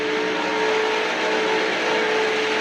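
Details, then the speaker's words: Taco boiler circulator pump with failing bearings, grease port added and motor greased, fan cooling it: steady rough whir with a faint hum on top and no speed change; worn motor bearings, still running. "It sounds like we're still running. So Friday, it's not gonna be running for long. Friday, I put that grease port in and greased this motor. Can't believe it's still running."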